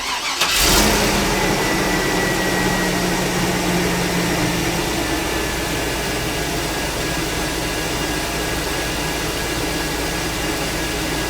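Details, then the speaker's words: Chevy Tahoe with 244,000 miles, after exhaust manifold replacement and broken stud removal: starts promptly and settles into a smooth, even idle with no ticking or puffing from the manifold; no leaks noticed, engine running cleanly. "well no uh noticeable uh leaks sure when I take it out on the road I'll see if it's uh fixed it or not not bad for 244,000 Mi off"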